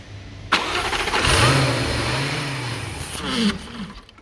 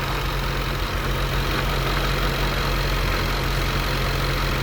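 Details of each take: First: 2015 Jaguar F-Type, 72k miles, after hydrolock repair with new starter, plugs and air filters: cranks briefly, catches and runs roughly about three seconds, then sags and dies; stalling with mass airflow sensor unplugged. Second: 2015 Jaguar F-Type supercharged engine, 72k miles, after hydrolock repair, no faults except power steering: steady, even low idle with smooth pulse and light supercharger hiss, no stumbles, knocks or expected misfire; engine sounds healthy.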